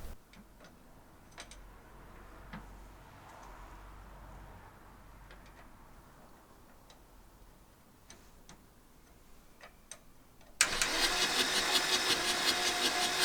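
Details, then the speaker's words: 1984 VW T3 single cab, 1.6 diesel, long unused junkyard truck; quiet ticking then loud rhythmic starter churn about three seconds, never catching; fuel confirmed at injectors, compression suspected, next check compression and timing. "no try to start there was definitely fuel coming out of these so that's not our issue so the next next testing to test out is the look for a compression if it has any"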